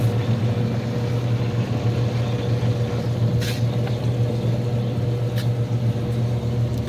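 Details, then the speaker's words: Hot tub pump one, newly replaced assembly after a broken impeller, running during air purge without filters: low, steady electric hum with even whir, no gurgle or rattle; no leaks. "good no water leaks listening for air or anything you can hear when there's air in a pump like that usually"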